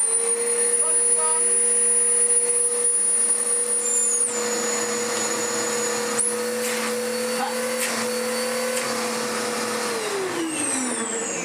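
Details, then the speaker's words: Dirt Devil DD6114 Electrolux Contour clone vacuum, first run before restoration, long-stored and damp: high motor whine with rough rubbing drone, smell of hot belt; overly thick, ill-fitting drive belt slipping; belt noise. "Let's turn it on and see, well, how it sounds, especially with that belt. A lot of that is that belt."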